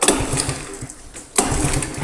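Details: 1985 Honda ATC110 three-wheeler left sitting a long time, likely flooded, oil checked: two pull-start attempts give short runs of chuffing compression pulses, but the single never catches; cranks, won't start.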